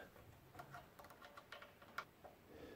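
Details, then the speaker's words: General International cast-iron bandsaw after blade refit, turned slowly by hand while guides are realigned: faint, uneven light ticks as the blade catches the upper guide, to be adjusted next. "push it with the blade the sound you hear is that is the top one right there and we'll get that one next"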